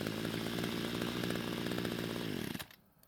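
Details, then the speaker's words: Homelite trimmer after carb adjustment, L screw turned out to stop bogging on quick throttle: clean, steady high two-stroke buzz with no bogging or surging, then shut off. Normal running. "now luckily it responded to the adjustments well and now it's running just the way we wanted to"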